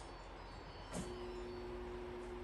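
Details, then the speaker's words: Frigidaire refrigerator water inlet valve getting current: a click, then a steady low electrical buzz with no water flowing, so the valve is clogged and needs replacing. "see no water comes out i can hear it buzzing up here but no water is coming out so something is clogging that valve we need to remove the entire valve and replace it"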